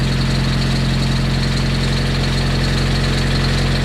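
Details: Freshly rebuilt Nissan KA24DET engine on its first start, in a cold garage, after a water line was fixed: steady, even idle with a constant low hum and no knocking or misses.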